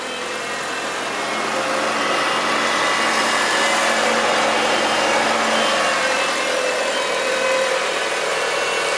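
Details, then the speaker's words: Mitsubishi Evo 9 MR turbo four just after Injen intake install and oil change: smooth steady idle, even low drone, no hiss, whistle or rattle, induction noise only expected at hard throttle; healthy. "Sounds good. Still pretty quiet. think you have to really give it the beans to get that induction noise."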